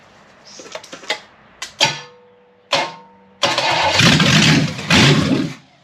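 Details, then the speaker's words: Previously seized, freed small-block Chevy 327 on carburetor with weak battery swapped: scattered clunks, short whirring crank, catches and roars briefly then cuts out; owner suspects the starter hanging up, starter getting hot. "Starter doesn't want to go. That sounded pretty good. I think my starter might be hung up again."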